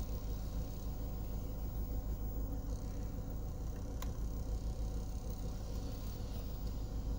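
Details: US-market Ford Escape after repair of a sudden no-start (ECU relay clicking, blown ECU fuse, ground wire traced), codes cleared; quiet, smooth low idle with a steady hum, no misses, ticks or knocks, normal.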